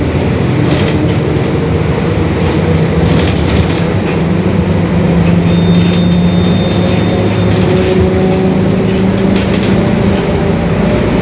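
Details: 2021 Marcopolo Torino S urban bus on Mercedes-Benz OF-1721 Bluetec 5 chassis, extended, moving: low droning growl under engine and road noise. Differential whine from worn rear differential gears.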